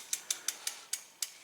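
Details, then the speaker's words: Trek Navigator 2.0 mountain bike, 15+ years old, rear wheel on stand after new tire, tube and chain with pin seated; crisp pawl ticks slowing as it coasts, no scraping; spins free, little or no rubbing. "so once i got that done everybody's happy and it's not rubbing or if it is it's very little"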